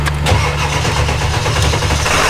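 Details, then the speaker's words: Truck jump-started with high idle on the OBS single cab: heavy, dragging, slow crank that fails on the first try, then catches into a rough idle. Weak battery struggling on jumper cables. "okay first try no go we got the high idle kicked on on the single cab give us a little bit more juice here"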